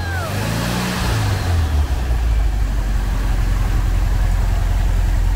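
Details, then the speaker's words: 1980 Kombi with 1600 air-cooled engine, first start after sitting 12 years: deep, even rumble after a quick rev that settles into a steady run without misses; the engine runs well but still needs work to run smoother. "Ah, it looks like there's a big engine, the noise is very beautiful, we already know we have to fix it to make it even smoother"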